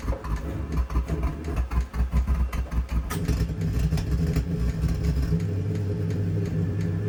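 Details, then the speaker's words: New Vevor D2 2 kW Bluetooth diesel heater on startup: after glow plug and fuel pump kick in, flame lights then flames out with pump still running, irregular low thumps and pops as it backfires, some smoke through the combustion intake. "what it was doing last night was flaming back up again making all kinds of Poppy and backfire"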